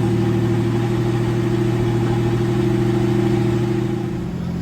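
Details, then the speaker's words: Camaro V6 just after first start following no-crank and fuel pump relay check: steady, even hum held at a fast idle about 2,500 rpm, no drop-off; runs smoothly but idles high. "It is idling a little high. Where is it at? About 2,500 RPMs."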